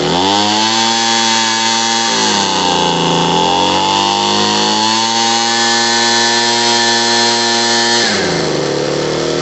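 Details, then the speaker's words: Homelite 26B blower after carburetor and fuel line replacement, at full throttle while the mixture screw is turned to cure bogging: revs dip briefly then climb straight back to a steady full-rev two-stroke scream; normal running. "Counterclockwise. Clockwise, so it's full rev."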